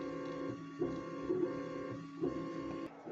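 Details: New 3D printer, first run: steady humming motor tones in short bursts with brief pauses as the head steps between points; normal, lengthy bed levelling.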